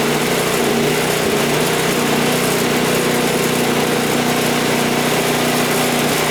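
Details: Toro single-stage snowblower that would not start, running after GumBuster carburetor cleaner, fresh fuel and primer: steady, even single-cylinder drone without surging or sputtering, normal running.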